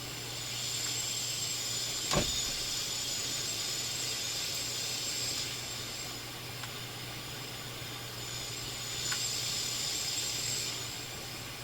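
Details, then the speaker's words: Philips console stereo receiver on AM, between stations, during troubleshooting with a wire found disconnected: even, steady static hiss with no crackle, hum or dropouts, bass control clearly audible; AM section working normally. "Even though we're just listening to noise between stations, certainly hear the bass effect. Volume. Okay, no question. On AM, this thing sounds just fine."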